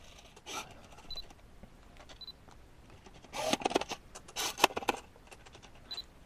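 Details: Canon 50mm f1.8 EF lens on a Canon R body via adapter: short buzzy whirs, then a longer rattling chatter of clicks as focus hunts back and forth; loud, coarse autofocus motor.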